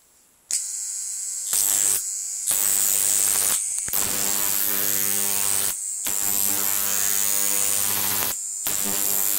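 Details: Large flyback transformer on a ZVS/MOSFET driver fed 30 V from a toroid transformer: loud hissing arc buzz with high whine, cutting in and out as the arc strikes; arcing normally.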